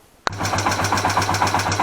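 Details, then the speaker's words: Yamaha TW200 motorcycle just started with a rebuilt used cylinder head and new valves, adjusted by eye for initial running-in: loud fast ticking clatter at about six beats a second over the idle thump from the valves. "и даже завел то что вы слышите страшные стуки это стучат клапана у тебя-то не по причине того что настроены они были на глаз"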